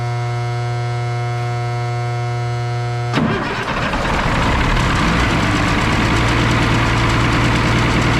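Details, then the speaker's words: M35A2 diesel truck started after fuel-starvation troubleshooting: fires after cranking and settles to a rough idle with a hissing rush and whistle over it; turbo spins, owner suspects an air leak somewhere, not located. "and a heck of an air leak somewhere turbo spins at least and turbo spins"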